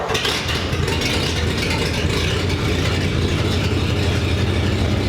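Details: 1947 Ford panel truck idling after a new custom exhaust was fitted, replacing one that dumped by the passenger door: low, steady, even idle with a soft exhaust burble, quieter than before; a slight exhaust leak possibly remains.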